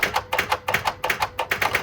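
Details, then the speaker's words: Mustang after engine belt failure, alternator not turning, battery drained: rapid sharp clicking about eight per second and no cranking; no-start from flat battery, jump starter used. "The alternator was not turning, so this incident killed my battery."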